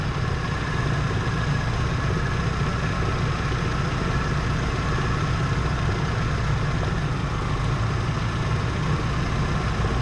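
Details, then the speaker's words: 1977 Chevy C10 V8 at idle before spark plug work: rough, uneven lumpy beat with occasional stumbles; misfiring, plug wire pull tests show little change, cause not pinned down. "during the entire time she's running with a misfire"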